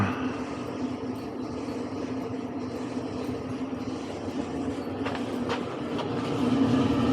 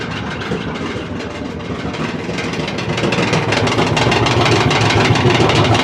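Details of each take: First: Clothes dryer after replacing a worn drum roller that had caused loud clattering: a steady, even tumbling hum with a soft regular rhythm and no squeal or thump; it runs smoothly and quietly. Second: LG dryer making loud clattering noise during drying cycle; tumbling with loud rhythmic rumble and clatter that grows louder, diagnosed as a worn drum roller.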